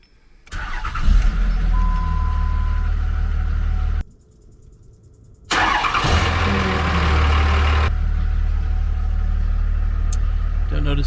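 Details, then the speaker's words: 5.9 Cummins 3rd gen diesel, first start after replacing factory intake tube and muffler with Cool Hose intake hose: cranks, catches, brief pause, restarts and settles to steady even idle clatter; healthy. "all right guys this is the uh the first fire with that cold tube"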